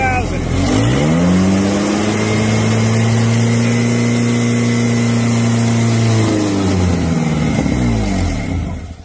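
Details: Ford Ranger with power loss, engine held at a steady fast idle around 2000 rpm while a vacuum/pressure gauge in the O2 port shows no back pressure; a raspy puffing tick over the exhaust note is an exhaust leak where one exhaust bolt was removed.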